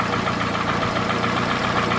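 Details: Toyota Camry, 2AZ gasoline engine, 220,657 km, smoke from under the valve cover; recorded by the running engine: steady idle with a quick, even ticking knock, several taps a second. Cause not determined.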